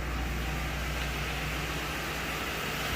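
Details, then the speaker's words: Lincoln Town Car V8 after replacing the cylinder 6 coil pack for a misfire: steady even low smooth idle, no stumble or skipped beats; sounds good, all cylinders firing cleanly. "ah smooth yeah sounds good nice and smooth okay"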